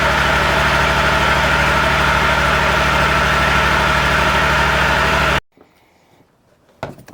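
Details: Exmark zero-turn commercial mower, Kawasaki FX651V engine, run briefly after oil change to circulate oil: steady, even idle with a smooth, regular beat for five seconds before shutting off; engine runs healthy.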